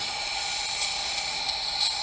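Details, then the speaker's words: Leakdown test on a Subaru engine on a stand, engine not running: misfire code, low-compression cylinder at top dead center with valves closed, 90 PSI applied. Microphone at the exhaust picks up a steady airy hiss of air escaping, pointing to an exhaust valve problem. "I have air coming out exhaust. This is the issue."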